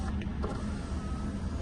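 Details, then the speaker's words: Mercedes C180 (possibly C200) Sport electrical check: short, even low hum from the power window motor with no grinding, clicking or straining; all windows working normally. "quite a dark tint in the back so all the windows working"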